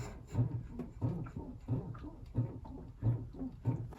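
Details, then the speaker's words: 2017 Renault Megane 4 1.6 dCi, body rocked by hand: rhythmic groaning squeak once per rock from rear suspension; suspected rear beam pivot bush, spring or shock. "so I'm just going to rock the car up and down so I can push in there you can definitely hear the noise I'll I'll keep my mouth shut and it's coming from this area here so potentially it's that pivot brush the pivot brush on the rear beam that goes across the car could be the spring or the shock"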